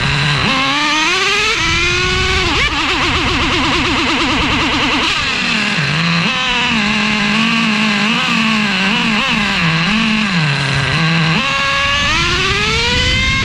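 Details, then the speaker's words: Traxxas Revo 3.3 nitro engine with newly fitted THS Racing tuned pipe, no exhaust leaks seen: screams up through the revs, blipping and wavering at the top end after the 2-speed shift; sounded lean, cause unconfirmed. "But no matter what I did, guys, you saw in the video, the 2-speed hitting at the higher RPM, it sounded like the motor was lean."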